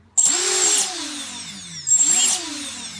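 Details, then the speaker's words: Emax Nighthawk Pro quadcopter motors without active braking: they whine up sharply, then after throttle cut the pitch sags slowly for over a second, an unbraked coast-down, unlike the braked motors that stop almost immediately. "when I turn on the motors and decrease the throttle quickly these ones closest to the camera they stopped spinning almost immediately that's what you want so that way you get that you get rid of that floaty feeling in the air when you decrease throttle see how long these will spin"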